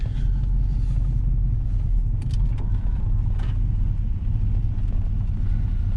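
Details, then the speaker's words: 1984 Camaro Z28, L69 HO 305 carbureted V8, cold start with little choke: deep uneven rumble, idle sagging and hunting, engine cold-blooded and won't hold idle; raising idle helped. "So now this car will not hold an idle. So try to raise the idle. See what happens."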